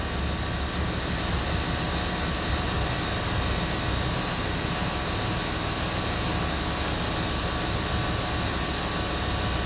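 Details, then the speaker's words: Land Rover Discovery 3 after fitting replacement air suspension compressor (old one damaged off-road): steady even electric hum, no rattle, filling empty tank then raising faster; normal compressor operation. "it's got to fill that that'll take a minute or so for it to fill the tank and now it's starting to go right up there look that's going up faster now"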